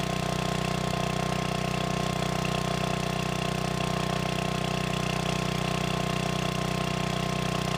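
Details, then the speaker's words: Free generator, first run after cleanup, running indoors: steady even drone at constant speed with no hunting or surging; it holds its governed speed and runs successfully. "all right well that sounds like a success"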